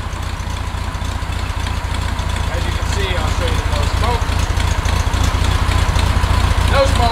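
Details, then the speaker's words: 1969 Volkswagen Beetle after replacing NGK spark plugs with correct, gapped plugs, choke partly on at first: deep, steady, even thrum with no stumbles or misses, no smoke; engine idling smoothly. "so much better absolutely much better the first part of the choke was still on but now running nice and smooth no smoke"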